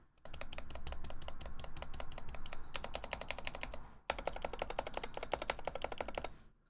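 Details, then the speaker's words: BoardSource Mark 65 keyboard: fast bursts of sharp, higher-pitched key clacks with louder rattly strikes; unlubricated stabilizers ticking on larger keys, especially Enter, before re-lube. "It is on the higher pitched end, especially on the sides here. But the problem with this is literally again the stabilizers as you can hear."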